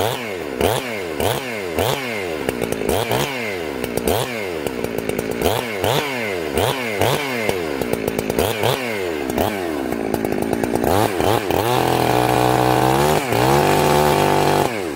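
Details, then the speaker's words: Chainsaw, warm, carb high jet set very rich: repeated rising revs, then a warbling, burbling note under load in the cut; it four-strokes because the high jet is too rich. "oh okay guys this sauce warm now i want you to hear blubber in the cut that means that it's four-stroking okay listen for the four-stroke"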